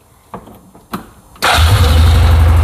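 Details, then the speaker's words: 2007 Yamaha Rhino 660 after fixing a sticking choke that caused rough cold idle and high warm idle: a couple of quiet clicks, then it fires right up and settles into a steady, even idle. "Oh, fires right up like that. That's pretty awesome."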